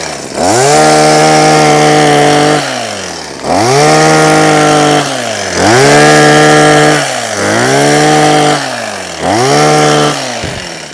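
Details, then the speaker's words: Husqvarna 123HD60 hedge trimmer, long unused, after fitting a new carburetor diaphragm: five clean throttle blips, each rising smoothly to a steady high whine and falling back to idle without stumbling; it runs healthy. "So, for a machine that wasn't running, Ben gave me a new diaphragm, probably cost me about 15p. I've now got a nice Husqvarna hedge trimmer. Turn it on. Nice, man."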